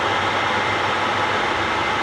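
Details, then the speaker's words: Second overhauled A-type overdrive on a test run in neutral with no solenoid fitted: a loud, steady, smooth whirring with no knocks, whine or grinding; pressure built up and stopped at a good 350. "Started going. I got scared for a moment it's not gonna build up pressure, but started going and it doesn't stop."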